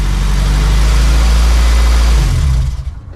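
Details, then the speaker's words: Honda CRX LSVTEC after fully welding the aftermarket muffler: smooth deep exhaust burble pulling away then fading, no rasp or buzz; raspiness attributed to the previously unwelded muffler. "You know, I think the raspiness was because the muffler wasn't entirely welded on. And now that it is fully welded on, the raspiness is not there."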